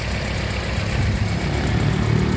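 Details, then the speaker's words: 1995 Toyota Starlet SEG 1.3 engine idling, heard in the engine bay: steady even low idle, no knocks or misses; described as very smooth, no oil burning or compression leaks. "Mesin suaranya juga masih kategori istimewa, masih halus. Ini nyala ya mesinnya ya. Suaranya enak banget."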